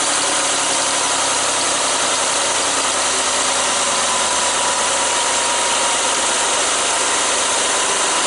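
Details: 2005 Mazda Tribute/Ford Escape 3.0L V6 after valve cover gasket replacement: constant, even running with a smooth hum and no knocks, ticks or hunting; engine idling normally.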